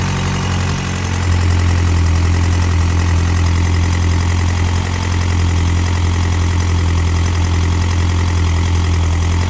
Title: Mcgregor clattering noise after timing engine